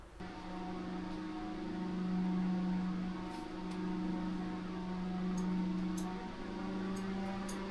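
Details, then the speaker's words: Corsair RS120 ARGB PWM case fan in a Frame 4000D RS ARGB case at about 99% duty, full speed; steady airy whoosh with smooth, slightly wavering hum, no ticking or rattle, healthy. "And now we'll take it all the way up to pretty much 100%. It'll be 99 because it's hard to actually get it to go that. And you can hear it already."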